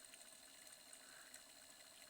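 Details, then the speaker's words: Reverse osmosis booster pump that knocked from a worn bearing seat/defective motor, after fitting a replacement motor, running under load: faint steady hum with light water rush, no knocking or rattle; pump running quietly. "Я установлю этот двигатель. Видите, работает тихо. Сейчас насос работает под нагрузкой."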